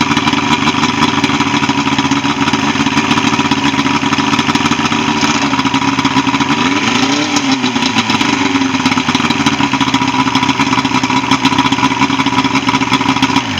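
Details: Evinrude 75 HP outboard on a Voyager pontoon, after no-start repair and routine service: steady, even drone with a smooth, unbroken beat and no misses or knocks; normal running.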